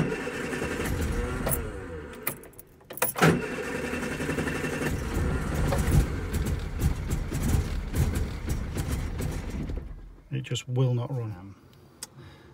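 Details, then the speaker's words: Austin Allegro after swapping in a spare coil of unknown condition, throttle floored; catches and surges unevenly, stumbles with clattering, then dies and won't hold tickover. Rough running and stalling; carburettor float needle sticking suspected, not confirmed. "changed the coil but obviously i don't know if this coil that i've got as a spare was any good itself um it still won't start now"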